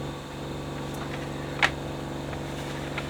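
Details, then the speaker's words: 1980s Technics RS-M230 cassette deck, output monitored via oscilloscope and amplifier: one channel silent, constant low buzz, probably 50 Hz, under quiet hiss with one faint click. Hum in audio output, cause unconfirmed; later fixed after a chip was replaced. "i've got nothing on one channel and well and it's probably 50 hertz just buzzing what is that"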